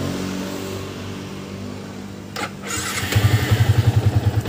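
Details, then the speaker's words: New-model Yamaha Vixion after repair of a rough, noisy engine and leaking block; cranks and settles into a steady, even low beat with no chain rattle or knock; healthy. "dengarkan bersama sama suara mesinnya kalian bisa dengar skelp aman sentrik ataupun keteng aman ini sudah menurut saya sudah sangat luar biasa"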